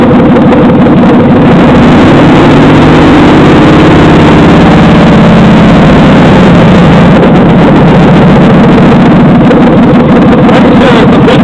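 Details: 2007 Chevy Silverado 5.3L LH6 aluminum-block AFM V8 on engine stand, about 644 rpm idle: quick ticking over idle, rising briefly with revs; owner suspects lifter tick, hopes not rod knock.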